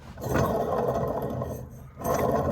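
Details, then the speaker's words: 1979 Chevrolet Camaro alternator on a Judge II bench tester: a rough, gravelly, crunchy growl rises and fades from worn bearings. It still passes with about 14.86 V output and passing ripple, but replacement is recommended. "It's not supposed to sound like that, guys."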